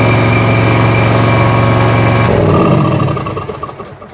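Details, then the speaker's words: Bobcat zero-turn mower after electrical repairs and reconnecting the oil sensor; steady, fast, even engine beat that stays running, normal running. "It's going to stay running out. Now we're talking."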